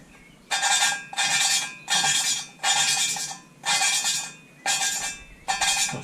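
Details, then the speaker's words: EB three-cylinder engine cylinder head overhaul, hand-lapping a valve with grinding paste: gritty scraping strokes about once a second rasping against the seat; noise fades as seat beds in, not yet bedded. "une fois que le bruit s'atténue cependant l'oeuvre on nettoie tu écoutes de news corp et puis on re ce que ça donne"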